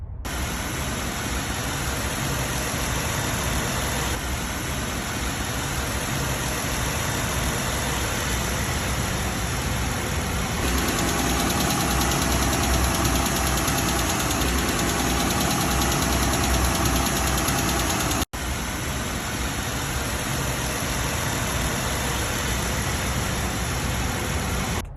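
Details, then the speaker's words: 2012 Jeep Wrangler JK with Pentastar V6, after rocker arm replacement: a smooth, even idle with a steady hum and hiss and no top-end tick. "now this is the same engine basically with the rocker arm replaced and listen to the"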